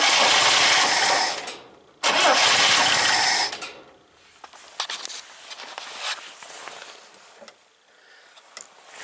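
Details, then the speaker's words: 1971 International Scout 800, AMC 232 with BW35 transmission: two long cranking bursts with the starter churning hard, but no start; the owner doubts fuel is entering the carburetor and suspects the coil is not getting full power. "You see any gas going in there? I'm sure there's not. Sounds like there probably another problem here where we're not getting full power to the coil."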